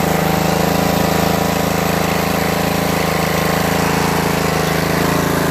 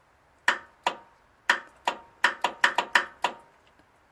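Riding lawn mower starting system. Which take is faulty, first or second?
second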